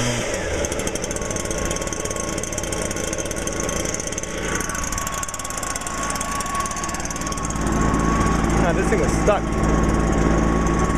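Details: 2009 Stihl BR420 two-stroke backpack blower, started on choke with no primer (easy to flood): a buzzy engine runs on steadily, then picks up a little and holds even. It is running fine.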